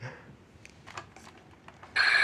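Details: Original 1995 Buzz Lightyear toy after cleaning corroded battery contacts with vinegar and isopropyl alcohol, fitted with new batteries: handling clicks, then a bright electronic chirp holds steady, normal operation.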